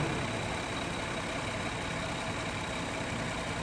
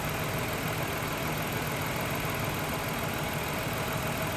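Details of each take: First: 2000 Toyota Avalon 3.0 VVT idling at about 650 rpm after clearing rich running from an unfired cylinder 4 during misfire diagnosis: steady, even idle with smooth low rumble. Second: 2000 Toyota Avalon 3.0 VVT V6 idling with a mystery misfire: uneven, fluttering beat with a dropped pulse every few firings and heavy engine shake, a cylinder dropping out, with no misfire counts showing on the scan tool.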